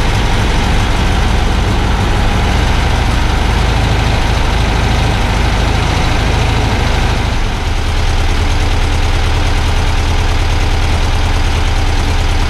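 Deep, steady, even idle with a low thrumming beat and no knocks or misses; engine settles smoothly.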